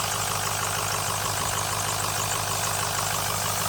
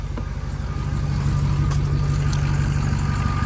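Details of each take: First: 2006 Ford F350 6.0 L Power Stroke diesel at idle after glow plugs, before VGT solenoid replacement: steady airy hiss over even idle near the turbo with the solenoid plugged in, gone when unplugged; owner suspects over-pressuring from the faulty VGT solenoid. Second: 2006 Ford F350 6.0L Power Stroke diesel after replacing the turbo VGT solenoid: steady even idle with faint belt squeal and no turbo air hiss; owner thinks it may be fixed.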